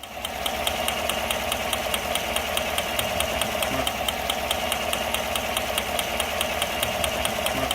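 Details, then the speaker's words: Damaged car engine idling steadily with sharp regular snapping ticks, about two a second, from ignition spark jumping and arcing. "El saltado de chispa que se escucha así."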